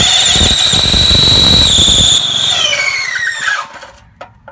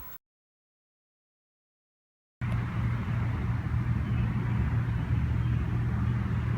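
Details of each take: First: Briggs and Stratton 3 HP engine on an MTD edger: loud high squeal over cranking, sliding down in pitch as the engine stalls; starter clutch cap unsealed with dislodged ball bearings. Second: Briggs and Stratton 3HP MTD edger after repairing starter clutch (unsealed cap, dislodged ball bearings) that caused squealing and stalling on starting: clean start into steady, even single-cylinder drone, no squeal or stumbling; runs normally.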